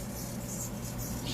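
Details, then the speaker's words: Free Motion treadmill running with a steady hum and faint high squeaky chirps from a dirty, slipping drive belt; fix is cleaning the drive belt and pulleys with a steel brush. "so very easy to do the squeak is coming from the drive valve so what you gonna do is you can use this one a steel brush and then just clean the dry belt and the pulleys"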